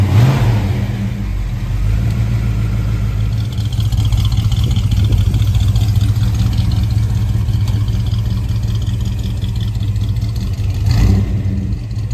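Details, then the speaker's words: 1976 Ford F100 with freshly installed 351 Cleveland V8, first runs, mild non-aggressive cam: fires up and settles into an even, deep idle with a mild lope, smooth, no knocks or ticks; healthy. "Not a super aggressive cam, which is good. That's what I wanted. I didn't want an aggressive cam. I wanted something that sounded good, but would still be not so radical."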